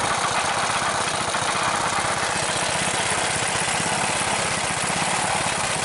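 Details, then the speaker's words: Rebuilt Briggs single-cylinder engine with new rubberized head gasket and muffler, venturi adjusted: quick even firing pulses at a deliberately raised idle, no knocks or misses; normal fast idle. "The venturi, I think I got it about what I want. It's not idling real low, but I don't want it to idle too low."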